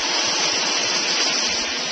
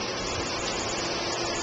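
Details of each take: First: Old 1.5 hp Whisper Flow single-speed pool pump, solar-panel pool, drawing about 6.5–7 amps at around 237 V AC before replacement: loud steady rushing hiss with heavy water noise, no rhythm; noisy pump operation. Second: New Centurion E+ two-speed pool pump, solar controller switched to auto, pump comes on hard on high speed, current and pressure back up: steady strong whoosh with water rush, no knocks or squeal; normal.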